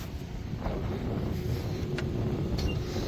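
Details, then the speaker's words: 2011 Ford Crown Victoria LX V8 after sitting two to three weeks, started on first turnover: steady, low, even rumble with no knocks or ticks, settling as it warms and idles down. Normal idle. "and real quick while it's running and warming up just making sure that uh yep it's starting to idle down so that's good"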